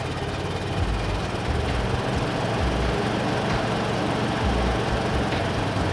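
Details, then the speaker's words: 1988 Mazda FC RX-7 rotary, recently revived after sitting abandoned, on a weak battery. It idles poorly, stumbling and surging lumpily near stalling. Misfiring is suspected but unconfirmed, and the plugs are to be pulled: rough idle. "Well, as you can see, it kind of idles, but still very poorly."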